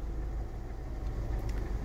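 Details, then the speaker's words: Renault Megane 2 after repairing bad ignition coil connector contacts (cylinders 2 and 3, no plugs or coils replaced): steady low drone while driving, no stumbles; coil faults and dashboard warnings gone. "Problème résolu sans changer les bougies ou les bobines, il s'agissait simplement d'un mauvais contact dans les connecteurs."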